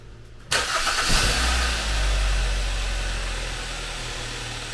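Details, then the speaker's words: 2011-2014 Kia Optima/Hyundai Sonata replacement junkyard engine, first start after install without pre-priming oil: quick catch and flare, then steady even idle with no knocks or misses; starts quickly and sounds good. "so that's why i just kind of started it but it sounds good it sounds really good started up pretty quick too"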